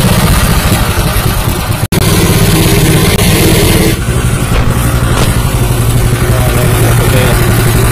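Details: Honda WL30XN 3-inch water pump driven by a new Honda GP160 5.5 hp petrol engine (3.6 L tank, 0.6 L oil): loud, steady, even drone with a constant low beat, no knocks or misses; normal running.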